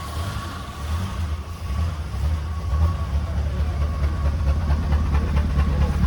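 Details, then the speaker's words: 1961 Chrysler Newport big-block V8, first start after sitting for years; some smoke: a deep, even low rumble with a steady beat and no knock or tick; the engine idles smoothly. "oh my oh my okay I need cut it off in it sounds great"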